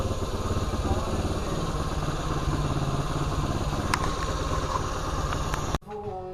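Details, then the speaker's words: 1975 Honda CT90 after warm-up and carburetor adjustment: small single putters at a steady, even, settled idle that isn't racing (it later would not go into gear); normal idle. "I think I got it idling at a decent, you know, RPM. It doesn't sound like it's revving too high or anything like that."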